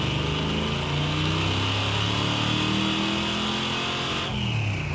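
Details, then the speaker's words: 1973 El Camino with freshly refreshed GM crate 454 big-block, four-speed, not broken in: wide-open-throttle roar with pitch climbing steadily without sharp surge; sluggish, suspected carburetor secondaries opening too slowly. "I think the secondaries aren't opening fast enough"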